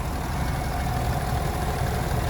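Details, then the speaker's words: Used 2017 GMC Sierra 1500 Denali idling with the hood open: a smooth, even low rumble with a steady note and no squeal, chirp or pulley squeak; the engine idles healthy. "Sounds good. It's not making any weird sounds. Not picking up on anything that's sticking out."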